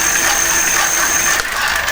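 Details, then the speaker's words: Homemade ebike driven by a car alternator used as motor, revived after sitting in a shed, spun freely at about 13 V from a motor controller: steady high whine that holds pitch, then cuts off cleanly; motor runs normally. "but before we do that we'll just make sure it's still working"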